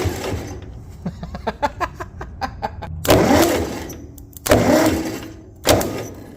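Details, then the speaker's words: 1958 Massey Ferguson TO35 tractor: starter cranks in even pulses about six per second with no firing, then heavier bursts; a connecting rod has completely failed, so it won't start. "With a complete failure of one of the connecting rods, this one ain't gonna do it."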